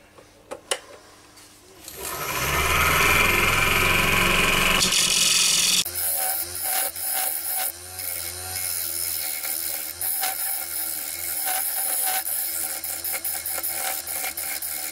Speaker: as you can probably hear it's this outer top ring that's the most out of balance which is why I'm trying to get it back into shape now and it'll uh even everything up so the noise might sound a bit bad but it's just knocking off the top edges